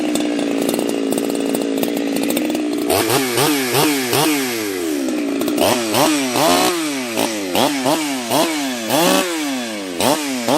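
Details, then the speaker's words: Husqvarna chainsaw fitted with a pop-up piston; clean idle, then crisp repeated full revs dropping back without hesitation or bogging, running healthy. "The piston was completely gone on it, lower end bearings, the cage was completely gone, and other than that, not too bad. Had to rebuild the whole thing, but yeah, that coil was really screwing me up."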